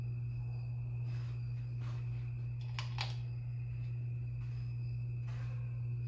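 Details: 52-inch Harbor Breeze Lakeside II ceiling fan, polished brass, before restoration: a cracked, slightly melted failing capacitor leaves it stuck on low on all three speeds. Steady low electrical hum with unchanging pitch; capacitor to be replaced.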